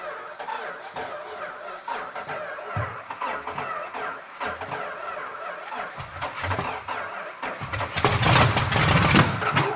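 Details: Purple Dodge Challenger V-code car, originally 6-pack but now fitted with a 4-barrel carb, last run in the 1970s, first start in about 30 years: ragged coughs and pops, then a short loud burst of firing that dies away, running only on priming fuel poured in.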